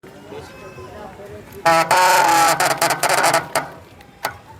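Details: Mountain bike with dual disc brakes: quiet ticking, then a loud high squeal with scraping for about two seconds as the brake bites; disc brake squeal.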